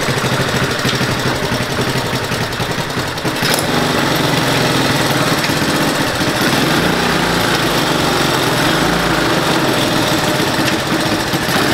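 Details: 1969 Roof Palomino lawn mower single-cylinder engine starts and holds a fast, steady, even thumping beat. Runs normally.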